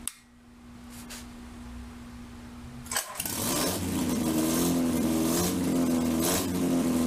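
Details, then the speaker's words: 1947 MG TC XPAG engine on a stand, first run in about 40 years, with no coolant yet and a leaking fuel line: catches after about three seconds and settles into a steady, somewhat fast idle; about 50 psi oil pressure, idle set high. "had about 50 pounds of oil pressure looking good we'll have put some uh water to it fix the fuel line and uh seems to be idling a little bit on the high side maybe we can work that out"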